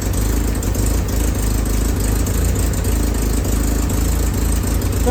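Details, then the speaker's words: Willys M38A1 Jeep after tune-up for a small miss: new distributor cap, rotor, condenser, points adjusted, broken spark plug wire replaced. Idle throttle nudged up slightly, it gives a steady low rumble with no stumbles; misfire gone, pretty good. "like you need to turn up the throttle just a little bit. I did I'd say that's pretty good."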